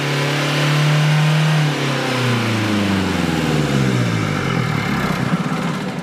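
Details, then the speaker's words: 2016 Renault Kadjar 1.5 dCi that would not rev after a service, with the air filter refitted correctly (a wrong-way filter possibly letting its fibre mat be sucked toward the airflow meter): climbs smoothly, falls back and picks up cleanly; revs freely. "As you can see, the vehicle revs freely. So the problem has been this air filter fitted the wrong way."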